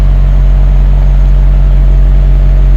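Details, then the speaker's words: BMW 740Li V8 at cold idle, 1–2 minutes after start, after new spark plugs and coolant and oil service: deep, smooth, even rumble. The cold-start shudder heard before repair is gone; idle is now normal. "냉간시의 공회전 상태입니다. 시동 건지 1분, 2분 됐을 것 같습니다."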